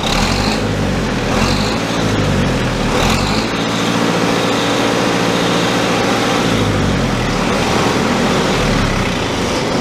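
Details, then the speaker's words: Oliver Super 55 diesel tractor after American Bosch PSB4A injection pump re-seal, fired up with white smoke after cranking: loud steady diesel clatter with rising and falling revs, no misses or knocks; better throttle response, normal running. "so it runs a lot better he's got more throttle response"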